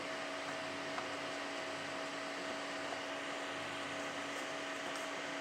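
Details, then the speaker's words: TDA7294 power amplifier with SMD components on SMPS supply, laptop source switched off, recorded by phone mic: only faint even hiss and thin steady tone, no mains hum even at full volume; normal quiet idle. "ini saya offkan dari laptopnya dan ini suaranya sangat Hening ya Suaranya sangat Hening"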